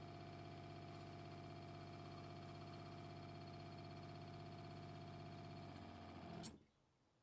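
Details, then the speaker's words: Newly installed 12 V 3.5 GPM 45 psi RV fresh water pump, mic pointed at it, cycling while purging air from lines: even buzzing hum with quick steady pulse, then clean cut-off; pump working normally. "I'll turn this on the pump just kicked on you can see the water flow here and it just kicked off so I'd say that was a success"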